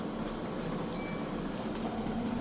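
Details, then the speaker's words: Refurbished Kenmore front-load washer, levelled with its feet adjusted, in a high-speed spin extracting water: a steady, even hum at one pitch with a slight rise and no thumping. Smooth, quiet, balanced operation. "see it spinning super fast extracting out all the used up water and from the outside here nice smooth quiet operation"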